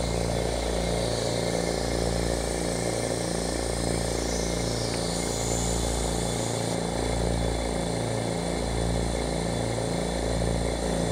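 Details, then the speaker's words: Oil-less dental air compressor after reed valve repair, running without intake filters and filling from empty: steady twin-piston thump about three and a half beats a second, smooth and unchanging; cuts out near 110-115 psi, restarts near 90; healthy. "I just wanted to show you how it worked and turn it on I've repaired it had some Reed valve problems and they've been fixed and it runs good"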